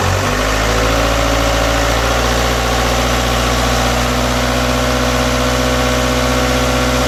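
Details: BKD diesel engine, cold start: rough cold idle with an uneven, lumpy clatter and a wavering low drone rather than a smooth beat.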